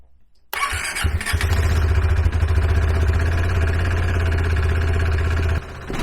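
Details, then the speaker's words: KTM 390 Adventure, started cold right after the PowerTRONIC ECU was plugged in: it fires, holds a rough uneven idle a few seconds, then drops off. Owner suspects air in the fuel system after the tank was removed; it needed wide-open throttle to start. "I think where it didn't want to start and it shut itself off, I think that's where I took the fuel tank off and there was just air in the fuel system."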